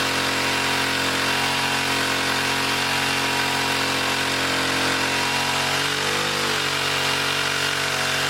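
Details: 1959 military engine fed from fuel line in a gas can, carburetor high-speed circuit sprayed out and slightly flooded: hard high-pitched steady racing with no settling to a set speed, as the governor runs wild.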